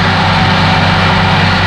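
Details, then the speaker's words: Massey Ferguson DM164 disc mower on a 2850M compact tractor, PTO at 540 rpm (about 2400 engine rpm), back panel open: loud, constant roar with deep, steady drone, no knocks or grinding; normal running. "if it sounds like a 747 taking off it's right"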